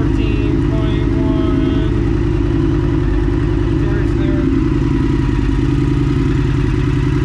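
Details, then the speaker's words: 2022 Indian FTR 1200 with new NOCO lithium battery and a non-full exhaust system, brief revving: deep, even exhaust thump with no misses or mechanical clatter; healthy, mellow sound. "she likes this system it's just enough it's it's nice mellow sound"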